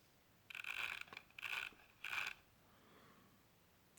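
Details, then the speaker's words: Drone's small electric motor turning very heavily after propeller likely hit ground on landing: three short strained whirring bursts that die quickly instead of spinning freely; owner unsure of cause, possibly gear stopper. "let me know in comments what you think is wrong with this motor here why it's turning so heavily here you can hear it"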